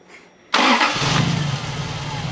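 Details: Toyota 1UZ-FE V8 swapped into an Altezza fires up and settles into an uneven, lumpy idle, running on only 4 cylinders because the ignition distributor rotor was fitted backwards and broken.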